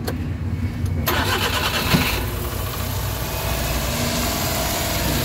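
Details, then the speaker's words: Suzuki K6A engine with AC on, after ECM/sensor troubleshooting, oxygen sensor replacement, and engine treatment: starter whirs, the engine catches and settles into a steady, even idle. The earlier vibration is gone. "Ayan nales na Nawala na ung vibrate guys so Okay na ung titira natin at least na-address talaga yung concern"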